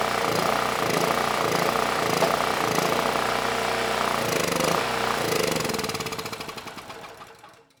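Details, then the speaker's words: Free generator (model PM0123250) that reportedly ran but made no power, started on starting fluid: the small single-cylinder pops along fast and evenly, then winds down as the fluid runs out. Engine sounds good; the fuel system needs cleaning. "Well, that was a good test. The engine, it sounds good."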